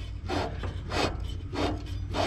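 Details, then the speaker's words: Yardsman lawn tractor with 15.5 hp Tecumseh engine, engine off: dry rasping grind in slow repeating strokes as the blade spindle is turned by hand; spindle bearing almost seized, blades smoked when engaged earlier. "almost ceased so this is gonna be another job I'm gonna have to be taking care of before I could use this tractor"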